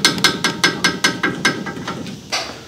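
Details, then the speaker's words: 2003 Ford Ranger: sharp metallic clacks about five per second, dying away as the shaking stops, from a sway bar end link with worn-out, missing bushings; repaired with a new end link bushing kit. "so same thing on this side you see how you hear that that's what they're hearing going down the road i've got a little bit of bushing left so it's probably not rattling this bad"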